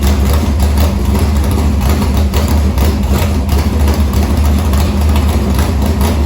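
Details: Harris race car's Morgan Machine-built open V8 (speaker thinks ~358 ci) with EQ heads, likely Edelbrock Victor Jr two-barrel intake and 85 carburetor, cranked after fuel line was reconnected; loud, deep, lumpy steady idle, no knocks or misfires, normal idle.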